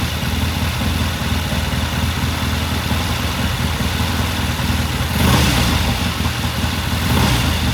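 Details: 1969 Triumph TR6 vintage British motorcycle, pilot jet cleaned and pilot air screw turned in half a turn for a richer starting circuit; after a cold start the twin gives an even, steady low putter with no misses, knocks or hunting: normal idle.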